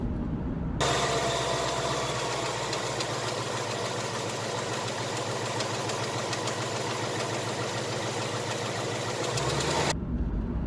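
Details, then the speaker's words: 2018 Ford Mustang GT 5.0 Gen 3 Coyote V8 at idle, before a friction reducer (Ceratec) was added: fast, busy ticking chatter running through the engine note. "He has a Gen 3 Coyote in his 2018 Mustang, and he had the ticking noise. Listen to it here."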